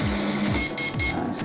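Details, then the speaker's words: Epson LQ-2180 dot-matrix printer: three short, high, evenly spaced beeps at power-up indicate a dirty or faulty PW (paper width) sensor; blow it clean and refit, replace the PW sensor if it still fails. "Kalau bunyi seperti itu. Tiup-tiup aja untuk sensor PW nya dan dibersihin itunya."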